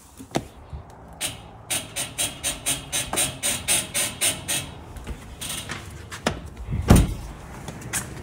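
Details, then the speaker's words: Ford F-150 with Teraflex Falcon front shocks: sharp repeated squeak, about a dozen chirps, as the body is loaded stepping in; persists after greasing. Maker blames dust boots; shops cannot find it without replacing the strut. "so you guys probably heard that God awful squeak I don't know what it is I can't seem to figure it out"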